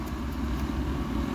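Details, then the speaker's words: 2004 Alpha See Ya motorhome Atwood furnace after fitting a new Dinosaur Electronics circuit board: steady low hum with no cycling, the blower motor stays on whenever power is applied; owner suspects the thermostat, not confirmed, and the fault predates the board. "i'm noticing the blower motor is commanded on inside um pretty much all the time i applied power and the blower motor wanted to turn on and just sit there and hum"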